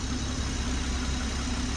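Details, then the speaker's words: Toyota MKV Supra six-cylinder after first start-up, compression fine on all six cylinders, misfire still to be found: quiet, smooth idle with a steady beat and no stumbles or misses; running far better than before. "Wow, it's quiet. It's running so smooth now. A lot better than it did."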